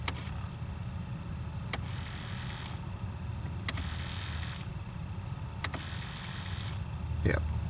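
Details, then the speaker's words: 2006 Pontiac Solstice after the temperature blend door actuator motor is replaced: the actuator homes to full cold, then each notch gives a short one-second whir ending in a click, stepping the door a little each time as normal. "you see it's bouncing because the motor runs and moves it just a little bit each time you can hear"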